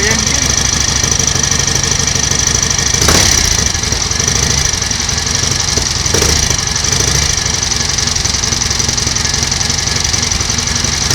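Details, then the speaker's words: 1938 Matchless Model X 990 cc V-twin just started after several years laid up, choke closed, ignition advance uncertain: steady even beat, mechanically okay, some exhaust smoke showing plenty of oil getting round; normal idle. "sounds okay mechanically bit of smoke from the exhaust so it's obviously plenty of oil getting in and around the"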